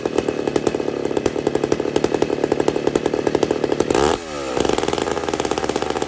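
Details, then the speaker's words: McCulloch 850 chainsaw with a heavily worked ported cylinder: high, clean two-stroke scream holding steady, a short dip and quick recovery to full revs, a little more rpm still there; strong, healthy running. "that sounds pretty good i know you can hear it up in the rpm too oh yeah and it's even got a little more there"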